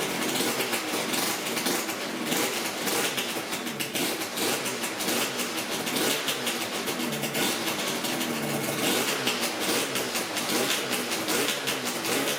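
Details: Yamaha RZ350 two-stroke motorcycle running with a busy, crackling rattle and no squeal or screech from the gauges after the tachometer and speedometer mechanisms were lubricated to fix a howling screech.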